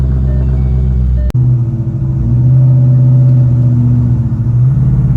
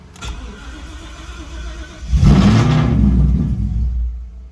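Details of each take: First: Shelby GT500 with fresh motor and big cams, warm after a drive, owner chasing a hot-start issue that did not occur here: deep, loping idle with an uneven chop about three beats a second; normal cammed idle. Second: Ford Shelby GT500 (Silverback build) with fresh engine, hot after a short drive (cold starts fine): cranks briefly, catches with a surge of revs, then sags and dies after a couple of seconds; hot restart stumble.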